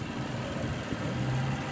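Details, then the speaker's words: 2005 Toyota Camry that would not crank or start, after fitting a brand-new starter and reconnecting battery: starts and settles into quiet smooth steady idle, no knocks or stumbles; normal idle. "ready fire it up there we go there we go it started"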